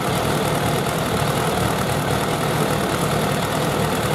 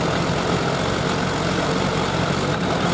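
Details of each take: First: Suzuki Bandit 1200 with four carburetors, before synchronization: the idle is okay but not good, and the imbalance can be heard while running. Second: Suzuki Bandit 1200 four-carb engine idling before synchronization with gauges: slightly uneven, lumpy pulse rather than crisp even beat; carburetors out of sync, audible while running.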